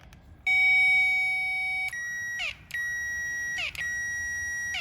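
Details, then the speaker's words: Classic Mini electric fuel pump, suspected seized after long storage, removed with the tank and powered directly at its terminals. Steady high whine in short bursts as power is applied: it spins freely. The owner suspects removing the tank dislodged it. "well so it's actually working so what i suspect is now that's making noise i think the knocking and banging of taking the tank out has dislodged it"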